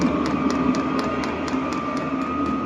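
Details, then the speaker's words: Vevor diesel heater (8 kW) just after first ignition, heat exchanger still cold: steady fan hum with constant whine and regular pump ticks about four a second; burning normally, barely smoking. "ठीक है, मैं कहूंगा कि यह निश्चित रूप से चला गया है। यहाँ, आप शोर सुन सकते हैं."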